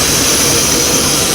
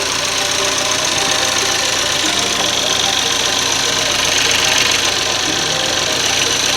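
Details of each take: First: 1993 Mercury Cougar at idle with a massive vacuum leak: loud, steady jet-like hiss over the faint engine. The car also has a no-heat complaint and a water pump job. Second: 2013 Chevy Equinox after replacing the high-pressure fuel pump, line and roller lifter per TSB: smooth idle with light even fuel-pump tick over steady hiss; cuts right off and runs fine.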